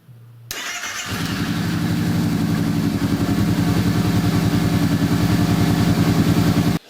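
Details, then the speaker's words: Kawasaki Brute Force 650 V-twin, warm, after readjusting front cylinder valves that still chattered: starts and settles into even, steady idle with no ticking or chatter; normal idle after valve adjustment. "so just finished going over the front valve train again and this is what it sounds like"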